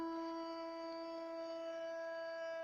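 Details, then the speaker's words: Toilet cistern fill valve humming while the tank refills after flushing: steady mid-pitched hum with overtones; fix is replacing the tank fittings (fill and flush valves) and the tank-to-bowl gasket. "здравствуйте с вами владимир будет кран унитаза при сливе пока набирается будет чтобы это устранить для этого надо заменить арматуру"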